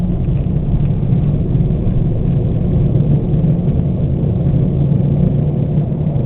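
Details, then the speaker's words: 1998 Oldsmobile Cutlass driven at about 38-40 mph: loud deep steady rumble drowning everything out from long-neglected front hub assemblies, replaced afterward. Badly worn front wheel bearings. "Uh, I wanted to make a video of just how bad they are because I can't believe it myself. So, let's go ahead and fire it up. Yeah, I know. These are by far the worst wheel bearings I've ever heard in my entire life."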